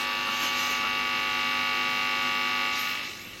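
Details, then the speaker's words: 1960s record player driven directly from a modern cartridge through a quick lash-up development amplifier: steady, overtone-rich buzz even at minimum volume, caused by a poorly filtered power supply; mains hum. "just a really quick lash up and the power supply i'm using hasn't got a lot of filtering on it so that's going to cause quite a bit of um buzz"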